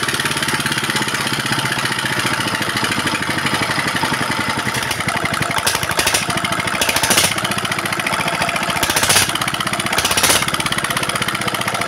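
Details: Single-cylinder diesel that was surging with revs rising on their own and smoking despite recently replaced nozzle parts, now back to normal after piston-related repair: rapid, even, stable clatter, no high-pitched sound, smoke gone; normal running.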